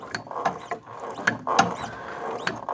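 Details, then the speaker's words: Daihatsu Charade L251 front strut top mount after spraying lubricant up into it; short, scattered squeaks and creaks in irregular bursts as the strut is worked, little improved. Owner suspects the strut mounts, and maybe the shock absorbers, need replacing. "Yeah, there's definitely a squeakiness, but that that strikes me as not a good noise."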